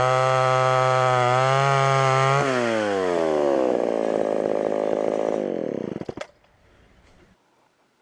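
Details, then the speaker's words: Homelite Super XL chainsaw with 20-inch bar, bought at auction: crisp, steady two-stroke buzz holds high revs, then winds down and shuts off cleanly; runs pretty decent, needs a little more tuning and a sharpened chain. "that was almost too easy thing runs pretty decent use a little bit more tune in here and there sharpen that chain up"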